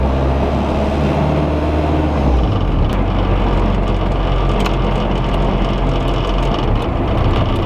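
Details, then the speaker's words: VW Rabbit Pickup after engine swap, in cab while driving: heavy droning low rumble and rattle from an oversized 3-inch exhaust butted against the shifter tower and fuel tank, vibrating the whole truck. "so it's rattling, as you can hear, up against the shifter tower, but also it is right up against the fuel tank, which cannot be good. And so it is just butted up against two things, and it is just vibrating everything about the truck."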